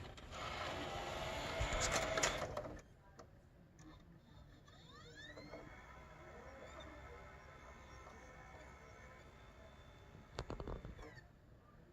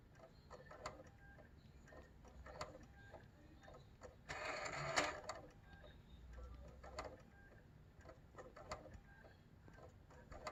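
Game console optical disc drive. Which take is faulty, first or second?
second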